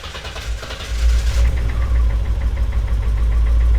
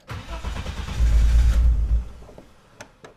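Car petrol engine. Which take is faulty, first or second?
second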